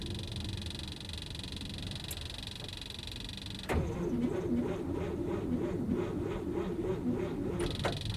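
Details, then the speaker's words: 1956 Oldsmobile 88, first start attempt after purchase on an old battery of unknown charge. After the fuel pump hum, the starter turns slowly, about three labored pulses a second, with no firing. The battery sounds a little dead; fuel is reaching the filter. "Sounds like it's a little dead."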